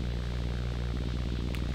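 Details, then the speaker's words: Rode NTG mic powered over USB Type-C with analog output cable: steady low hum and faint buzz with no voice; electrical noise suspected from higher-amp USB-C power, before ground loop isolator is tried. "the the USB type-c at the higher amps brings more noise and this is clearly what I see"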